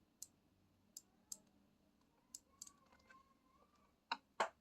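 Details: Kitchen deep fryer under repair, spring-loaded bowl limit switch pressed by hand: a handful of sharp, crisp single clicks at irregular intervals in a quiet room. The limit switch actuates normally.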